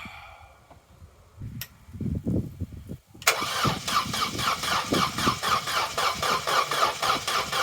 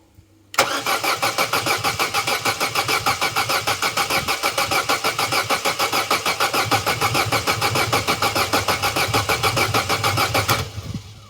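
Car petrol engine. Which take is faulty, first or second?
first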